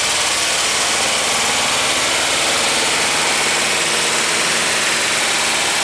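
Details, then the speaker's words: VW Westfalia boxer engine, cold start after cylinder head replacement with coolant not yet fully bled: fast, light ticking over the idle because the lifters were bled down. Hydraulic lifter tap on cold start. "it's got to tap like a bastard because all the lifters were all pumped down so I don't expect it to sound very good when it does start but uh let's see what happens"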